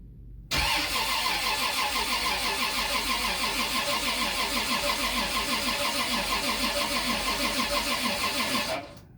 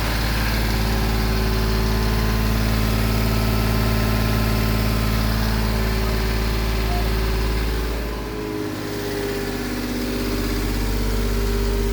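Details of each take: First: Turbocharged Lexus IS300 2JZ-GE build on its first crank ever, transmission only partly filled: even starter cranking about three turns a second for eight seconds and the engine never catches; cranks but won't start, and a failed line was then found. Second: Turbocharged Lexus IS300 with VVTi 2JZ-GE engine, first start after four years of building: steady low idle with an even pulse about three per second and a slight dip midway, settling smoothly; normal idle, though leaks were later found.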